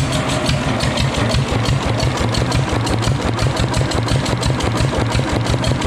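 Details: Fully restored, disassembled and rebuilt Deutz stationary diesel: a slow, even thumping of about three beats per second holds steady with no misses or knocks; the engine runs healthy.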